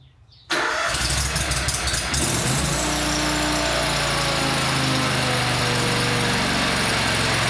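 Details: Country Clipper Boss SR1200 zero-turn mower after fitting a new key switch. Short crank, then it catches and holds a steady idle. Hard starting; owner suspects wiring, not confirmed.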